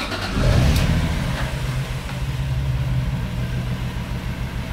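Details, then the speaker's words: Toyota Supra during manual/turbo conversion, first start with no exhaust fitted and immobilizer removed: fires and revs freely with a loud raw open-pipe bark, settles to a steady idle; runs clean, normal running. "he runs he runs good listen to that baby"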